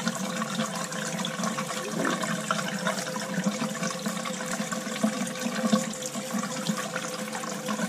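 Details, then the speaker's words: Crown hydronic boiler, no heat at start of heating season: late in second-floor zone purge, water rushing with irregular crackles and gurgles, some air still in the pipes but starting to sound good. "a little bit airstone crow's out there you know that crackling is there so but starting to sound really good"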